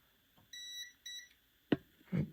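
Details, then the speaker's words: Fat PS2 disc drive laser limit switch tested with a multimeter while chasing laser mount grinding: two short high beeps then handling clunks; continuity confirmed, switch working, owner next suspects a broken trace. "I just had it as you can hear this switch is working this switch is working"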